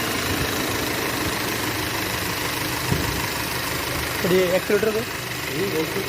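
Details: Audi A3 2012 after spark plug replacement fixed an engine misfire: steady, even idle with no stumble or shake; the engine runs smoothly on all cylinders.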